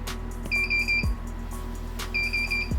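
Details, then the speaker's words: Greenworks Pro 60V battery lawn mower bought as broken: pressing start gives a click and bursts of high rapid beeps every second and a half, motor never spins up; fault beeps, won't start. "so you get a click and a lot of beeps so um and that is the reason why they they sold it because they didn't know how to fix it"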